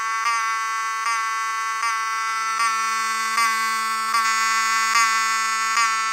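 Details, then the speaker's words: Cerberus Pyrotronics HSD-24 fire alarm horn (rebranded Wheelock 7002T), propped on a screwdriver for testing: pulsing buzzy blasts a little over once a second, thin ragged tone; not healthy-sounding even after adjusting the rear screws to the best setting. "So, you can hear it's not the healthiest sounding, but it's um the best I can do for the time being."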